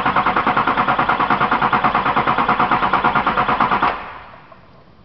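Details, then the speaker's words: 2004 GMC Sierra 6.6 Duramax LLY (VIN 2), relative compression test with amp probe on starter cables, checking for compression versus injector cause of imbalance; steady, even cranking about three beats a second, steady amps on all 8 cylinders: normal even cranking. "I mean, we've got nice even cranking, drawing steady amps on all 8 cylinders as we turn the engine over."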